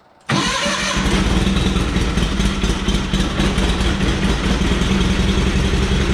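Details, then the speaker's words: Twin-cylinder mower that ran flawlessly until it suddenly acted up mid-mowing and is slightly down on power: starts into a busy idle with a fast ticking clatter over the exhaust; suspected valve train noise, cause unknown. "There is some terrible valve noise going on in there."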